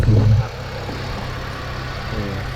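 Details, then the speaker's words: 2006 Honda Civic FD after power steering pump replacement and refill with power steering fluid: even steady idle, smooth low hum, no pump whine or groan after earlier air-induced whine; normal. "เงียบประมาณนี้นะครับหลังจากเมื่อกี้ที่ลองสตาร์ทเครื่องนะครับทดสอบหลังประกอบเสร็จแล้วก็เพิ่มความต้อนถ้าไม่มีก็โอเคนะครับผม"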